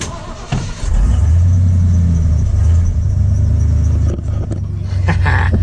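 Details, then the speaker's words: Ford F150 project truck after a part smacking the underside was pulled back and a temporary compression plug was fitted: steady low rumble with an even note at idle, knocking noise gone, engine sounds healthy. "Much better, guys. All right, let's get out here and listen to her for a second. No knocking noise."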